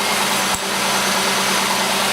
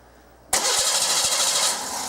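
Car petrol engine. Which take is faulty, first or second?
second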